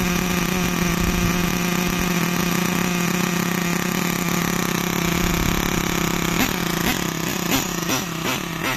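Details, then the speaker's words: Nitro RC car engine after setting idle with the low-end screw, high-speed needle untouched: burbles at idle, blubbers on each throttle blip with loads of smoke but no hesitation, very rich on the low end; rich low-speed mixture. "Still rich. Loads of smoke at that low end lot when you first trigger it. Very rich on the low end still. But it's running. Not hesitating or anything."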